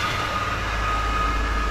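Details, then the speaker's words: 2018 6.6 Duramax diesel: fine at idle, but when revved or under power a heavy steady roar with a thin whine on top; metal found in drained oil, owner suspects failed engine bearing rather than the turbo, likely needing a long block. "So I actually ended up pulling the oil, some of the oil out of it, and there's some metal in the oil, so it's pretty much, I think it's actually the motor that's pooched, so one of the bearings is what I'm thinking."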